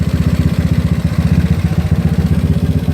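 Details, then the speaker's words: A GY6 scooter with an OKO PWK 30mm carburetor, its air screw opened about two and a half turns during tuning, idles at roughly four beats a second that stumble and skip. The mixture is off, so the air screw is being closed half a turn. "hear that it's kind of spotty it's like Papa Papa papa so you don't too much rich you're getting too much air in there air and fuel"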